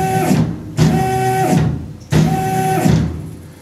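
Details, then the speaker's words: Tormach PCNC 1100 Series 2 mill, freshly started: jogging X axis gives short bursts with pitched whine and uneven grating buzz while Y sounds normal; X-axis stepper motor driver failing. "when I move it in the y direction thing sounds normal when I move it in the X not so much"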